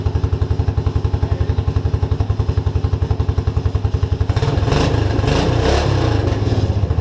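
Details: Suzuki King Quad 300 single-cylinder, still warm from running, after fixing fuel pump problems: even thumping idle with a firm steady beat, then clean pickup on a few blips; no fuel starvation, running well.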